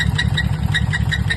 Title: "Rod Knock Sound EXPLAINED – Hear This Before Your Engine Dies!" #shorts